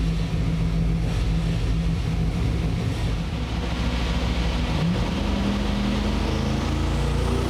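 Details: V8 after correcting ignition timing (it had been set from the wrong TDC marks on the balancer) by turning the distributor: strong even rumble picking up cleanly with no stumble or misfire, idle a bit high and needing to be turned down; normal revving.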